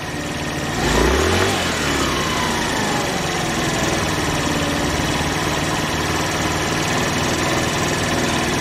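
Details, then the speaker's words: 49cc QMB139 GY6 automatic scooter after throttle cable replacement and tune-up, idle set to about 2000 rpm by tachometer: steady even idle, no hunting, misses or rattles; sounds healthy. "sounds good i'm gonna call that a win"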